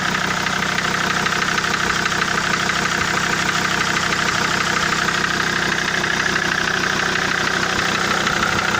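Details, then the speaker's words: SsangYong Rexton 2.7 diesel at idle, after the third injector was rebuilt and nozzles replaced on two others: a hard, regular knock about three per second persists over steady idle; the knock remains, and the shop had blamed the injectors. "То есть стук, как он остался, так он и есть. То есть стук никуда не делся."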